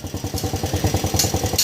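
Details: 150cc single-cylinder motorcycle that had backfired through the intake and died while running; head opened, carbon at the valve suspected. After the work: even, quick thumping idle at about twelve beats a second, no pops or backfire, healthy.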